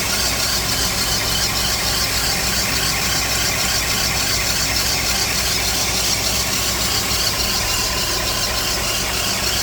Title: The annoying squeaky noise happens to be an alternator going bad. #squeaky #alternator #cartips